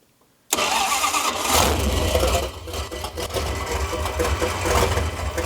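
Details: 1968 Dodge Coronet V8 four-speed, long-stored and just revived: fires up and settles into a lumpy idle with a metallic buzzing rattle over the exhaust note; loose, vibrating header collector flanges.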